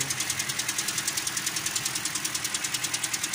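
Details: 2013 Toyota Corolla with 3GR 2.0 petrol engine idling: rapid, even metallic ticking knock; owner says noise goes away when hot, connecting rod bearing suspected; found to be broken roller rocker arms.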